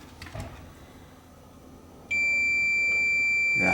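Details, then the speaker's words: Toshiba KY-AS15 Walky cassette player, meter on the battery input: steady unbroken high continuity beep, showing a short inside; player not working, with a melted drive belt also found. "we had a short something shorted on here"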